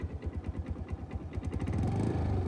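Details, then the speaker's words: New Suzuki scooter that cranked on electric start but wouldn't start, battery seeming weak: started with kickstarter, slow uneven puffs then a steady, smooth idle; runs fine after kickstarting. "let's try to start it with the kickstarter it started guys"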